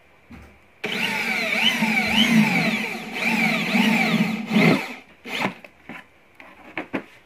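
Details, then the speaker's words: Angle grinder on a 450 W household supply with a 30 µF capacitor in series to stop breaker trips: whine rises and sags while cutting, then spins down. Runs slower, seemingly with less power than normal. "Walaupun emang suaranya lebih kecil, tenaganya kayaknya lebih pelan."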